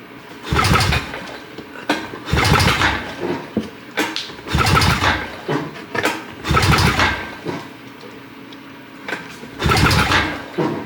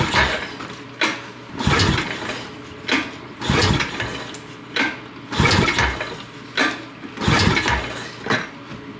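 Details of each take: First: 2006 Honda Rancher 350 ES, no-start diagnosis. Compression test while cranking gives even, strong turnover and reads 110 PSI against a 90 PSI spec: healthy compression. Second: 2006 Honda Rancher 350 ES that won't start, pull-started during a spark test with a tester on the plug. Five rough pull bursts turn the engine over briefly without catching; spark was confirmed at the plug wire.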